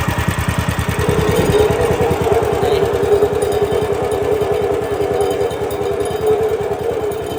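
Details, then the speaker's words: Woodland Mills HM130 Max sawmill engine at 62 hours, started with the belt off: fast, uneven chatter with a rough rattle; owner suspects the centrifugal clutch and a bearing. "what I think it is centrifugal clutch in there, but it's making all kinds of noise."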